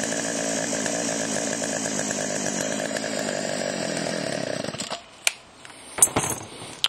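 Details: Chainsaw after Texas ice storm: steady crisp two-stroke buzz holds even without stumbling, then shuts off; could be fine-tuned but ready to go, bar oil pumping.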